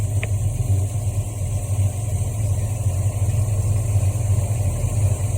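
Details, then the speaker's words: 1973 Mustang Mach 1 V8, Holley 750 CFM 4-barrel, off the fast idle cam with choke open: slow slightly lopey steady idle about 700 rpm in park, just over 600 in drive; normal warm idle. "Now, I'll have her put the car in drive to see what the RPM is. Put your foot on the brake and put it in drive. Just over 600 RPM."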